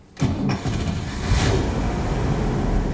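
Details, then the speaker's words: 1963 Cadillac Series 62: brief crank, the big engine fires cleanly and settles into a strong, steady rumble; normal engine start. "And she roars to life. The car really has more than adequate power."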